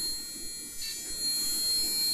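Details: Older Intel dual-core PC, Gigabyte G8 945 PL-S3 motherboard, LGA 775: steady, unbroken high-pitched continuous POST beep from the motherboard speaker, though the computer still turns on and functions properly.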